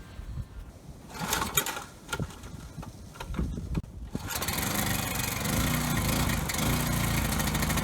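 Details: Coleman Powermate Pulse 1850 generator, surged when last run over a year ago, after carb cleaning and new fuel lines and filter, air box refitted. A few pulls, then a steady, even drone with no hunting or surging. Needed no adjustment; setting two and a quarter turns out.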